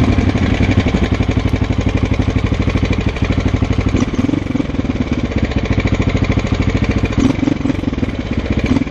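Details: 2006 Husqvarna SM 610, 18,000 km: loud choppy single-cylinder beat with a hard rap on each firing through the revs; engine knock.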